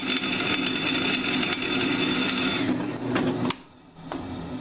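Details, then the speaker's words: Drilling an annealed high-carbon steel railroad clip: steady drill whine with an even cutting hiss, no popping or chatter; cuts much faster with less pressure than the hardened piece, normal drilling. "this is the annealed piece it's cutting a lot faster I'm applying a lot less pressure"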